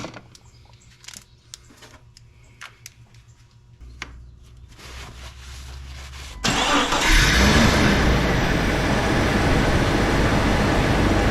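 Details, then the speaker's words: 1999 Jeep Cherokee XJ after power steering pump and high-pressure line replacement, during bleeding: quiet clicks, engine cranks and settles to steady idle, no pump groan or whine; most air out, steering normal. "all right I think everything sounds good with it I have most of the air out of it I'm gonna call it good on the bleeding but we are going to baste it one more time"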